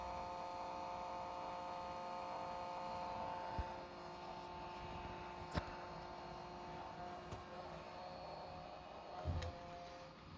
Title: weird sound and vibration coming out of my DJI Radio